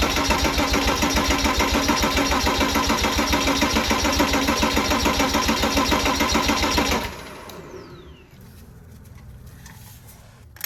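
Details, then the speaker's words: Porsche Boxster 987 compression test, spark plugs out, cranking at wide open throttle: even starter cranking about 3.5 beats a second, every stroke matching, then stops; all cylinders around 270 psi, healthy even compression. "All of my numbers were right around 270, which was awesome, which means that this motor has good compression."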